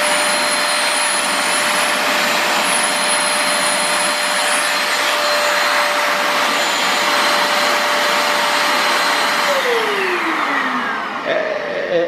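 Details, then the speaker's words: Multilaser HO03 1000 W 2-in-1 vertical/handheld vacuum, measured drawing 372 W: loud rushing airflow with a steady thin high whine that slides down in pitch as the motor spins down; annoying motor whine. "Esse barulhinho chato ele faz mesmo, parece uma subiuzinho, um estranho."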